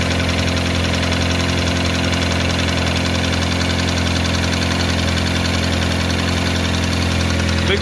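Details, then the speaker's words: Toyota Camry hybrid, battery was down and ignition would not switch on: rough idle with a regular deep knock, about two to three a second, following engine speed; internal engine fault, rod knock; to be scanned for codes, then opened. "কারণ ইঞ্জিনের ভিতরে সমস্যা আছে যে কারণে sound আসছে।"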